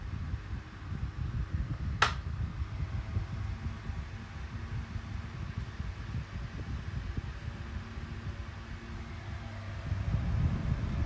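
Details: 2000s Tesco DF96 9-inch desk fan on its lowest speed, oscillation off: quiet, steady low hum and soft even whir with no knocks or rattles; normal running at low speed.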